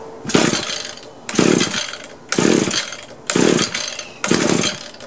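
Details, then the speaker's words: Used Echo gas trimmer of unknown history, choke on, air cleaner off, primer bulb going dry: five pull-cord rasps about a second apart, never firing; cranks but won't start, fuel lines and filter suspected. "Seems like it's trying to circulate the gas, but every once in a while it seems like the bulb is giving in."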